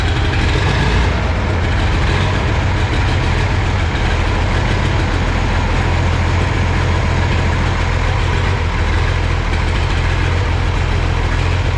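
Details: Oliver 2050 diesel tractor idling after an oil change, run to fill the oil filters. Deep, steady idle with an even low beat and no knocking or misses. Normal healthy idle.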